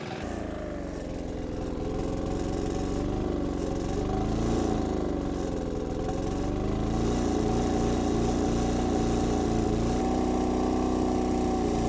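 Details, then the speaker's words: MEP-531A/501A military diesel generator after priming the fuel system, near proper speed (62–63 Hz): it runs with a slight uneven stutter as air still works out of the fuel lines; running under 70–80% load should purge the rest. "you can probably hear it now it's still stuttering just a little bit but it should be at where it is right now"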